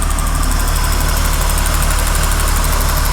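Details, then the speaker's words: 2001 Acura MDX with a CVT whose transmission won't shift and throws a shift-solenoid malfunction code: strong, steady idle with an even low rumble pulsing about three per second, no ticks or knocks; engine sounds healthy. "Welcome back to another video where I have the Acura going right now, going strong. You hear that engine?"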